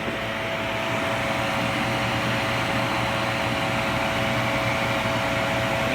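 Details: Philco Noisless 6800 BTU air conditioner from the 1960s–70s that probably hadn't run in years, running at 81°F outside with the compressor at about 88°. A steady fan rush over an even compressor hum with no rattles, and it blows cold. Normal running.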